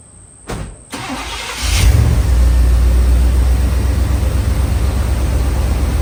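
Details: TBI Chevy OBS truck, first start after installing a K&N cold air intake and reconnecting the battery: short crank, catches right away and settles into an even, steady idle; a healthy start.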